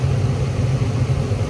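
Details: Attic gas furnace after repair of the only-one-burner-lighting fault, with gas pressure adjusted to just under the 3.5 spec and cycled repeatedly. A steady low roar with no popping, rumble or flutter; burners lit and running normally.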